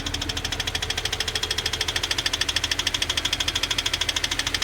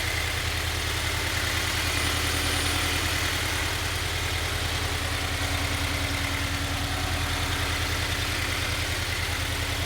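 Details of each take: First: Subaru FA20 engine (FR-S/BRZ/86) idling with rapid, even knocking over the engine: rod knock from a worn rod bearing, contrasted with a healthy FA20. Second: Healthy Toyota 86/Subaru BRZ/Scion FR-S FA20 engine at idle: smooth, even petrol idle with a steady low pulse and no knocking or ticking, as a reference against rod knock.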